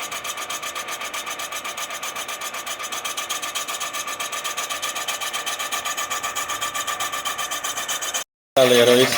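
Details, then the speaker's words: Honda CB 400 cylinder being rebored, boring bar feeding down automatically: steady rasping cut with even ticks about four a second and no changes in pitch or level; cutting cleanly and centered. "barulhinho que eu gosto de escutar, ó. Quando ele pega certinho, você vê que não tem diferença."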